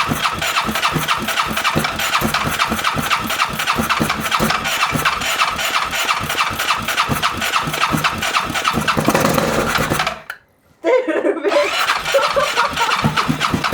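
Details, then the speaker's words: Freshly rebuilt ATV engine, first start with much larger jets fitted: rapid, rough firing pulses surging unevenly, briefly dropping out after ten seconds, fuel from exhaust, won't stay running; running rich with backfiring. "Vähän tuppaa rikkaalla käymään. Vähän tulee polttoainetta pakoputkesta."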